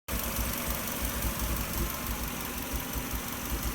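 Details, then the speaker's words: 1997 Subaru Legacy petrol engine at idle: low lumpy rumble wavering irregularly, sporadic like an exhaust leak or ignition miss, weird low noise through intake pipe; began after fitting '95 intake pipe, persisted with original; earlier P0505 IACV code, now none; erratic idle. "the engine sounds like it's got an exhaust leak maybe. A little bit of a rumble to it, but it's sporadic and it sounds almost like an ignition miss or something."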